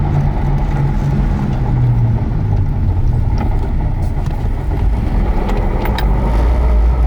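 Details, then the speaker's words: IS300 on its first drive after a manual swap to a used W58 transmission, no shift boot fitted yet: steady low drone under the engine throughout; not grinding, the transmission itself is just loud. "It's actually pretty good. It's not grinding. The trans is loud. It's not the boot. It's just that the trans itself is loud."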